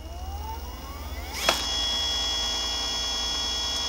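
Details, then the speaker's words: Brand-new Cyclone e-bike motor on its first run, in a comparison of steel and nylon planetary gears: it spins up with a rising whine, then settles into a smooth, steady whir without mechanical gear clatter. "it's a little bit quieter. It's kind of a whirring noise versus the mechanical gear noise."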